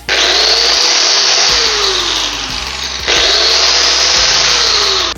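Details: Angle grinder after disassembly, cleaning out gel-like old grease and regreasing the gearbox: two smooth bursts of high-pitched whine spinning up cleanly and coasting down evenly with no rattle or grind; runs healthy after repair.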